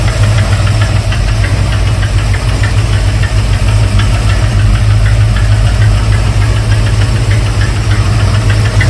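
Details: 1971 Mercury Comet GT V8 at idle after a cold start with choke set, front-of-engine ticking, knocking, clacking noise that is worse when cold; cause unknown, with belts, mechanical fuel pump and valve train to be checked.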